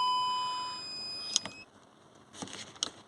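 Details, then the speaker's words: VW Crafter (same as Mercedes Sprinter) with reverse lights flicking on when shifting 2nd to 1st: short high tone then two chimes as the reverse parking sensors come on; reverse warning beep. "It's always give that little beep as I'm putting it from second to first, because you can hear the reverse sensors coming on."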